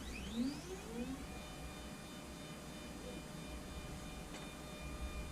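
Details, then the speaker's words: Anycubic Photon Zero resin printer after the fix, leadscrew nut flipped to stop a Z-axis squeal: quiet even stepper hum while the axis travels, no squeal after a brief starting tone, even when pushed on; before it squealed badly. Normal Z motion. "Even pushing on it, it doesn't squeal anymore. If you pushed on it before, it would squeal like crazy."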